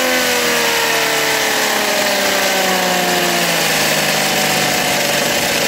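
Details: Philtech V12 model aircraft engine, 108 cc liquid-cooled two-stroke glow engine with miniature radiator, warming up: high, even buzz with steady tone easing slightly lower as it settles, no misses or knocks; normal idle.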